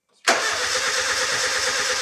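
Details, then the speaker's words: Nissan 910 Bluebird wagon engine being revived, 10 litres of fuel in tank: starter spins the engine with an even chugging rhythm but it never catches; fuel confirmed, no spark found. Crank, no start. "Nope, that should have kicked by now. That didn't sound good. Could have just been compression."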